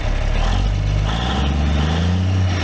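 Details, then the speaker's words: Late-1980s Dresser TD-25G dozer with a KT Cummins diesel, started after sitting despite a bad transmission: deep, even low rumble with a steady firing beat and no knocks or misses, a healthy engine that sounds like a big truck. "it sounds like a big truck not a dozer it sounds good"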